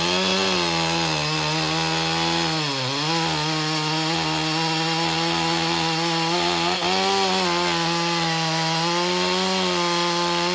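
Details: Stihl MS 201 TC-M, relatively low-hour electronic-carb climbing saw diagnosed for a no-start, first run after bench work with bar and chain fitted: revs cleanly, rising and falling with throttle without stumbling; runs healthy, smoking slightly.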